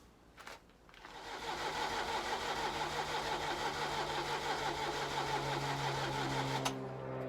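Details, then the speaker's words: 1983 Ferrari 308 QV cranking slowly about three beats a second, chugging as if almost firing, then stopping; weak battery won't hold enough charge to start it, new battery planned, fuel leak now fixed. "I've got two major problems number one is that the battery no matter what I do doesn't seem to hold enough charge to be able to fire the engine over give enough juice to get everything"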